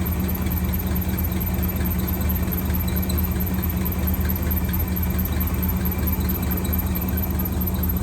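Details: 1963 AMC 287 V8 idling with a faint rhythmic squeak about twice a second, heard through a stethoscope on a valve cover wing nut. The left bank rocker shaft was starved of oil after its bolts were mixed up during a valve stem seal job.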